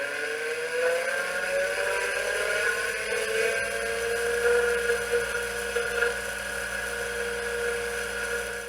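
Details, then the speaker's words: 1981 Apple ProFile 5MB hard drive, microphone close to the drive, first power-up after power supply repair: whirring spin-up tone with a rough edge and uneven seeking over the hum, head moving; doesn't sound healthy. "well I got to say it doesn't sound very healthy the head is moving you can't see it but I can see the head moving"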